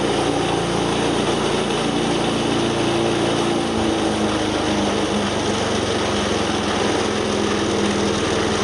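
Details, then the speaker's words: Wood chipper small single-cylinder engine after replacing a belt that let go: steady even drone, no slipping squeal; belt engaging, drive healthy. "all right so you can see it's working again uh now that we got the belt on there"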